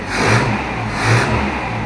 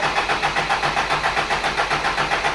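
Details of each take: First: Toyota Hilux after the new ignition-points condenser went in to cure a weak spark: the engine picks up cleanly and swings through two even rev rises with no misfire or stumble, running well. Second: Toyota Hilux with what owner believes is the bad ignition points condenser still fitted: engine lopes unevenly about ninety surges a minute, stumbling and near stalling; first suspected blocked carburetor, weak spark later fixed by replacing condenser.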